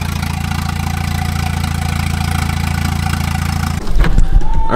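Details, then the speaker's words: Turbo wagon engine on new Microsquirt standalone harness, ignition fixed at 10 degrees, intercooler piping unfinished; steady, even idle then a rev blip, no misses; RPM good, running normally. "all right guys we got everything working really good RPM's good"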